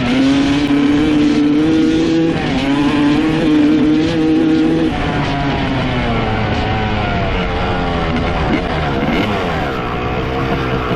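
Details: 1995 Honda CR250 two-stroke with stock jetting, needle clip raised one notch to second from top (leaner), power valves confirmed opening: revs rise then sag and waver under throttle; slightly better but still bogging, cause unknown.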